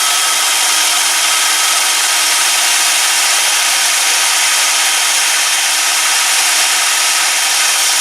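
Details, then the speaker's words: Ozito DBS-095 drill bit sharpener running while sharpening a worn drill bit: steady hiss and whine at an even pitch as the stone grinds the bit, not very loud but annoying; normal grinding. "Not going to talk because you probably wouldn't hear much anyway. It's not particularly loud, but it's loud enough to be annoying."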